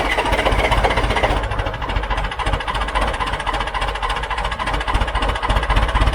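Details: John Deere 410 backhoe diesel, first start after a complete engine rebuild, oil previously put in cylinders so smoking: deep lumpy chug a little under four beats per second settling into steady idle; normal diesel idle.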